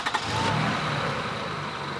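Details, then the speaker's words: Toyota V6 with 4,603 miles at idle: smooth steady idle with faint light chirp from the rain-wet fan belt; engine healthy. "okay it's a Toyota it's running smooth I can hear the fan Bell making a little bit of noise who cares it's been raining it's wet right"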